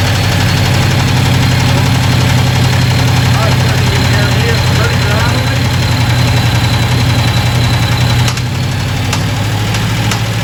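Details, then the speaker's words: Supercharged 2010 Dodge Challenger Hemi at idle with the ignition coil on the second-from-back cylinder plugged back in: loud, uneven rattle and popping heard going into the intake. Traced to a loose rocker shaft, a displaced pushrod and a broken cylinder head casting. "It sounds like going into the intake so I'm thinking that we have a valve issue here."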